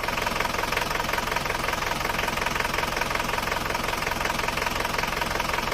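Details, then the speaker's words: Isuzu Panther diesel at idle, owner says it runs rougher than before: a sharp regular tapping about three times a second. The mechanic attributes it to piston slap, pistons hitting the cylinder walls from worn cylinder liners. "ini kondisi seker atau piston saat mesin itu sudah mulai bunyi tek tek tek tek tek tek tek tek tek tek tek hal itu disebabkan oleh benturan antara piston dan dinding silinder biasanya disebabkan oleh keausan seker"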